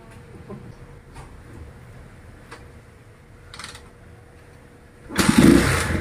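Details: Euro Daanhari 186cc motorcycle, still cold, kickstarted per the owner's technique (kicker released downward): a few quiet kicker strokes, then it catches on one kick and settles to an even running note. Normal cold start, not hard starting.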